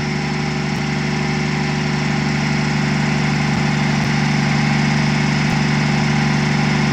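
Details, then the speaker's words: Truck diesel just cranked, about 40 psi oil pressure, smoke mostly cleared; commenters claimed a miss, but it idles like a sewing machine: smooth, even low drone with no stumble or skip, running right. "Somebody said in the comments it was missing. That sounds like a sewing machine to me, boys."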